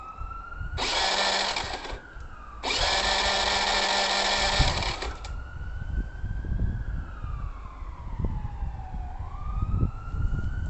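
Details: 2006 Honda Lead SCV100 scooter: the engine cut out with a pop while riding home. It now gives two short bursts of starter whirring that never catch or fire, with a siren in the background. It cranks but will not start.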